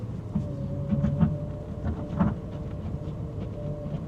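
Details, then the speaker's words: Audi R8 V10 plated limited slip rear diff: low, uneven groaning bursts on full steering lock in a car park, plates binding; getting the car hot or fresh fluid forcing oil between the plates may stop it. "And what this does, especially after you've changed the fluid, is it forces the oil between the plates and it stops that groan."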